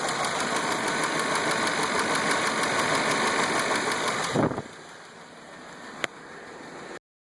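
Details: Petrol engine idling with steady light tapping, about three taps a second, recorded close to engine; tapping gets louder when hot; owner suspects lifter.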